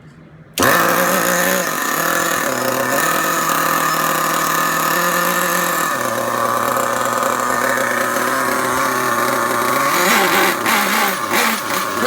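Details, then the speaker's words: Marky D's DYN.28 nitro engine in RTR Losi 8ight-T, break-in/tuning, warmed up, idle mixture at half millimeter, setting the low-speed needle first: high-pitched uneven blubbery burble; running very rich. "let's get our idle first our low speed done all right so it's very rich"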